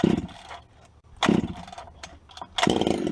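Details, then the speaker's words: Vintage 266 chainsaw, not run for a while, cold start: three rough bursts about a second apart as it catches and revs unevenly, sounding a bit dry; otherwise a normal cold start, left to warm up. "there she comes girls boys and girls [Laughter] hasn't been run for a while you may well let it warm up"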